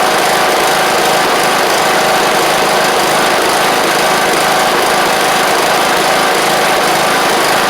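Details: John Deere LA100 riding mower (5-speed transaxle), sat a long time with water in the tank and hard starting blamed on valves: steady, fairly even single-cylinder buzz, no misses or clatter; spark plug is suspected to have failed.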